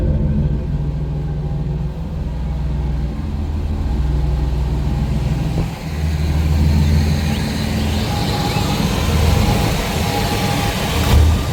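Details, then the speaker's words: 1996 GMC C1500 4.3L V6, check-engine torque converter slip code, likely Flowmaster 40 muffler: deep steady rumble, even lazy exhaust beat, no knocks or ticks; healthy idle. "Feels pretty good for a V6. Has a think like a Flow Master 40 on it if I remember right."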